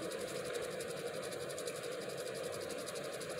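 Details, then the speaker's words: ReVent bathroom exhaust fan plugged in on a cord for demonstration, flapper open and blowing strongly: only a faint, smooth airy hum with no rattle or whine. Normal quiet running. "now like I said see you can't hear that that's amazing to me cuz when you're in the bathroom and you're doing your business all you you don't want to hear that you know like an airplane taking off"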